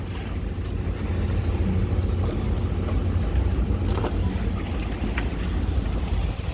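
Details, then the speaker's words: 2007 Ford Explorer 4.6 liter V8, 115,000 km, under-hood idle during used-vehicle inspection: low, even rumble with no knocks, ticks or misses; fresh oil change, no leaks at valve covers. Normal healthy idle. "so there we have it 4.6 liter so i don't see any major issues valve covers nothing leaking anything like that"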